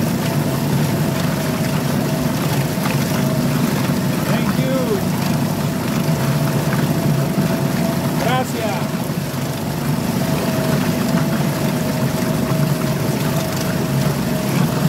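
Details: Suzuki DF2.5 2.5 HP outboard in water test after no-start repair, fuel valve and tank vent open: steady, even drone at constant pitch for sixteen seconds, no misses or surging; normal running.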